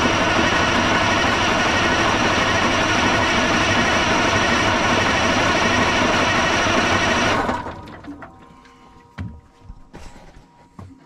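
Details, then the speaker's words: 1980 Peterbilt 359, Cat 3408 diesel left sitting for years: starter cranks at about three turns a second and never catches, then stops. Nothing comes out of the fuel return; crank no start, no fuel delivery. "Let me see if I get any fuel out of the return. Got nothing coming out of the return. That ain't good."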